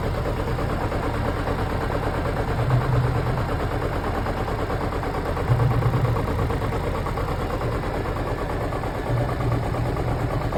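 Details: Chevrolet Celta engine idling with an uneven low thumping pulse, about three a second, over a rough drone; abnormal noise, owner asks whether it is the catalytic converter or the head gasket.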